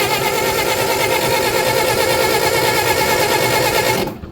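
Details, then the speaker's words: Old Bobcat skid steer, allegedly a 610, not run for years, old battery reading about 8 volts: starter whirs at a slow steady churn with no firing; cranks but won't start, weak spark. "it's a pretty weak spark but it does have spark it is pretty weak though"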